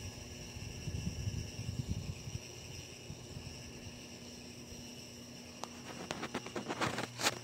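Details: Hampton Bay Carriage House II ceiling fan running at the one speed shown, giving a steady, even electric hum with a thin high whine and no rhythm. Loud buzzing, cause not confirmed.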